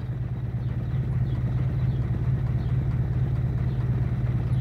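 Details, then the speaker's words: Used Pointer 1.8, possibly cold: low, uneven idle near 800 rpm with a lumpy throb about twice a second, and starting is affected. The cause is a missing ignition harness plug. "Si se dan cuenta, vean cómo hace el motor, muy tembloroso, muy pues prácticamente en el arranque también afecta."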